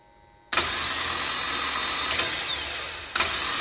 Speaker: So this sounds like a very healthy starter. So I'm going to be reusing this starter.